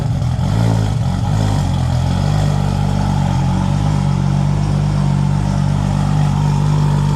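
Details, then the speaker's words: Toyota Supra after replacing a twin-disc clutch with a new triple-disc clutch, first start after the clutch job: steady, even low rumble settling quickly after startup, no knocks or misses; normal healthy idle. "First start up after clutch job. Kyle's would get in the car. Listen to this baby purr."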